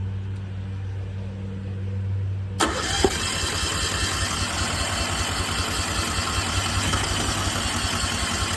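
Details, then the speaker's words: New Westinghouse 20,000-watt portable generator with starter fluid added: rhythmic cranking at about two and a half beats a second with a couple of sputters, but it never catches. No fuel comes from the line, which is clogged. "So, you see I've been trying to crank it, put a little starter fluid in it, it tries to run."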